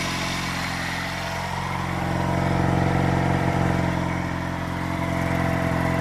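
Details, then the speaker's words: 1970s Honda CD175 single-cylinder kickstart bike, 46-year-old engine first start after restoration: settles into a smooth, even idle with steady beat, no misses, knocks or smoke; normal idle. "But wow, that sounds beautiful, doesn't it? No smoke out the rear or nothing."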